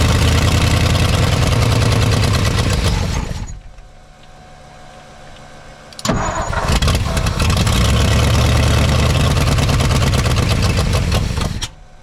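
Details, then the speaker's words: 1959 Ford F-600, 292 Y-block, long-dormant, electric fuel pump feeding a carburetor with a shot accelerator pump: catches, runs unevenly, stalls after a few seconds, restarts rough with an uneven beat; rough running with huge fuel leak. "okay it runs not great it's got a huge fuel leak but we can work with this"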